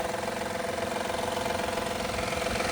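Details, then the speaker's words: 2016 Honda Accord EX-L 3.5 V6 at idle after catalytic converter and oxygen sensor replacement: fast, light ticking rattle about three per second, long-present; no exhaust leak heard; cause uncertain. "Oh, I don't I don't hear an exhaust leak. I hear the rattle from the V6, but that's always been there."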